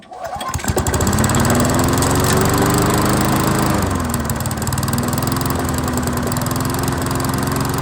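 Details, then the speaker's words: 22-inch Weedeater push mower after a seasonal tune-up, prone to running hot; oil smoke burning off at startup: single-cylinder engine catches and settles into a steady, even beat with a firm low drone; normal running. "see that's all just oil that's all just oil burn it off and have sounds good"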